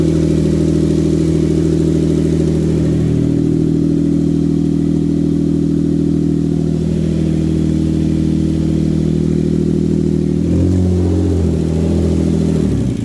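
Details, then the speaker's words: Hyundai Genesis 3.8L after an engine swap: a loud, raw, open drone with a change in note near the end, with the exhaust gaskets and converter missing; it is running rich with a fuel smell, and a loose transmission cooler line needs replacing. "I'm just gonna shut it off, and then we'll put all the exhaust gasket back, and then we'll start it up again, and then we're gonna have to get a brand new cooler line for the transmission."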